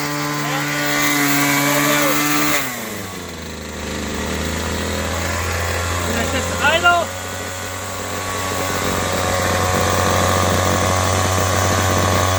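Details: Old WeedEater XT200 two-stroke trimmer, started on choke then half choke, before cutting: buzzes high, drops to a steady idle, then picks back up cleanly, running smooth and even; normal running.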